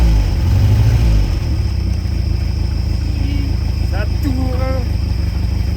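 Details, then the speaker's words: Peugeot 403 pickup petrol engine revived after more than 20 years off the road: low, even rumble with no knocks or misses; running smoothly. "Ah, notre mém mère là, elle reprend. Elle reprend goût à la vie."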